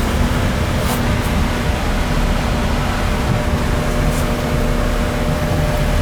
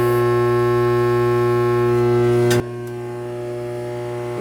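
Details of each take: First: AC air handler after blower motor replacement, called in for no cooling and burnt smell: steady even blower hum, constant low tone, no squeal or wobble; blower motor running normally. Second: AC system with no cooling and burnt smell in the house: loud steady electrical hum with no airflow, then a click and lower hum; blower motor humming but not spinning, suspected bad motor or transformer.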